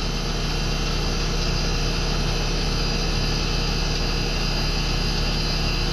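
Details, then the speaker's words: American Standard condensing unit that had been tripping its breaker: compressor and fan hum low, steady and even, and the compressor now draws under 11 A. Rattling debris may get sucked through and clog the system, and a leak is suspected. Normal running. "see that's a lot better we're under our 11. let's watch it see what it does"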